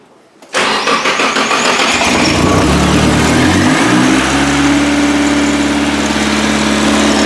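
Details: Project car first start after a 5-month winter build with intercooler coupler replacement and clutch line rebuild, fuel primed to the rail, clutch in: starter cranks briefly, catches, settles into a steady, even idle with slight rev hang; normal start and idle.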